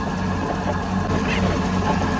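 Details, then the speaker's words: 2006 Mercruiser 6.2 marine V8 with new exhaust manifold, risers and elbows after an exhaust leak from a corroded manifold, first start: even low idle rumble, no ticking or puffing; no exhaust leaks, normal idle. "All right, we are running. Sounds pretty good. I don't hear any exhaust leaks, which is good."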